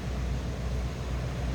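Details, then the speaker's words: 1991 Cadillac Brougham, rear-wheel drive, 5.7-liter V8, heard from the rear: deep, steady exhaust burble with even beat, no misses or ticks; healthy idle. "Again, 5.7 liter underneath the hood. So it's got the good one, big engine there."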